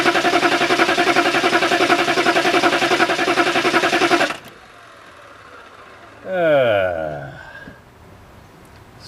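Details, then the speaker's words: Diesel just after a fuel filter change cranks steadily for about four seconds at three to four pulses a second without firing. The electric fuel pump, run off oil pressure, gives no action while cranking; a blown fuel pump fuse is suspected. "we're not getting any fuel pump action from the electric fuel pump which runs off the oil pressure which should be running when you crank it"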